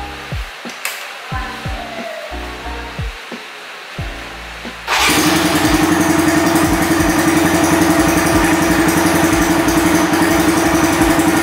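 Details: Honda Sonic motorcycle whose regulator/rectifier (kiprok) failed after over a dozen years, just fitted with a new larger-finned regulator: a few starter tries, then the engine fires and settles into a steady, even beat with no misses, running healthy.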